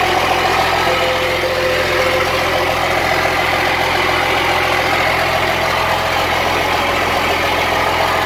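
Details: Cummins-swapped squarebody Chevy diesel truck started after installing dual plastic fuel tanks with one filler neck: even diesel idle clatter with no surging or stumbling, doesn't seem lacking in fuel; normal idle.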